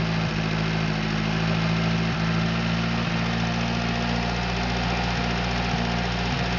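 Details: Atomic 4 inboard four-cylinder in small homemade wooden boat, first run with water pickup and electric fuel pump on, alternator off; steady even low-pitched idle, smooth regular pulse, no knocks or misses; running normally.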